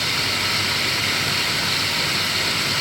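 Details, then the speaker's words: 2017 Toyota Tundra 4.6 L V8 1UR-FE, 75,000 miles, engine running: steady harsh gritty grinding from the belt tensioner pulley bearing, loud when touching the tensioner body; alternator quiet. "I hear the grind is so loud in my ears. I will try my best to show you."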